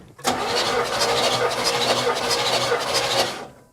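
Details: 1969 Buick Riviera GS, sat about 30 years, compression test with the carb held open: even starter cranking at about three pulses a second with no stumble; compression is healthy, a little over 150 psi on this cylinder.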